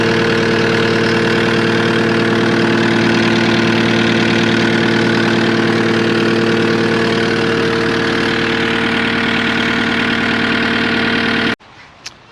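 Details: Cat 259D skid steer diesel after its 1500-hour service with a new fuel pump and filter: steady, even idle with a smooth low drone and no knocks or stumbles until it shuts off; sounds healthy.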